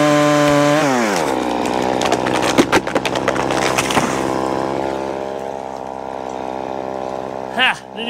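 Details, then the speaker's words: Poulan Pro two-stroke chainsaw, owned about 12 years, after seasonal clean-up: strong high note sags to a lower steady pitch as the chain bites and pulls through the log, popping the owner likes; healthy, normal running under load. "how long did that take not very long love that popping sound it made"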